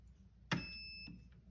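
A click as the battery connects, then a clear high beep and a fainter chirp; the mosfet is powering up normally.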